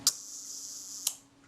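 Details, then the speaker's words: Kodak Retina IIIc Synchro-Compur shutter at 1 second, during cleaning and reassembly before speed train adjustment: sharp opening click, thin steady escapement buzz, closing click slightly under a second later; runs smoothly but fast. "Alright, well that certainly ran smoothly. It was somewhat faster than 1 second."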